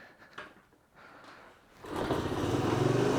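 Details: Honda CT110 postie bike after a carburetor rebuild, on fuel reserve: a few quiet seconds, then the little single fires and revs up cleanly with a steady, even beat; runs fine.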